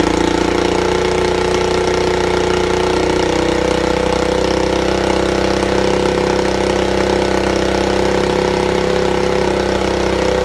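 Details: Buell Blast single-cylinder with non-working auto enricher, after a shot of starting fluid: steady, even beat at constant speed, no misses or knocks; runs well once started.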